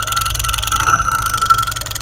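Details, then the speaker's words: Motorcycle single-cylinder engine at idle: thin steady whine over busy idle that clears when throttle is raised and returns when released; fault inside magneto; magneto noise. "इसका magnet ये देख जैसे हम race दे रे आवाज़ सही हो जाती रेड छोड़ते फिर से आवाज़ अंदर"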